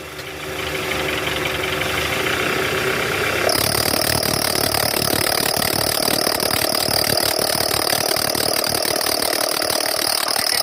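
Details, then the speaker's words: Toyota Alphard Gen 1 (ANH10), 2.4 L petrol, in R or D with AC on, revved to about 1100 rpm: loud rough growl and piercing squeal from the right side, a fan belt tensioner with weak spring visibly vibrating; tensioner assembly replaced. "Oke, ini bunyinya kenceng banget ya. Ini dari tensioner AC nih guys. Dia karena pegasnya udah lemah. Jadi bunyi ngorok sama bunyi decit guys pas digas."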